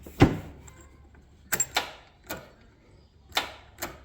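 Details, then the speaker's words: Hustler Raptor 52-inch zero-turn mower with a battery only weeks old: a single sharp click at each key turn and no cranking, from a failing starter solenoid. "so what we have here is a hustler Raptor 52in deck and when you turn the key it just clicks let me show you guys"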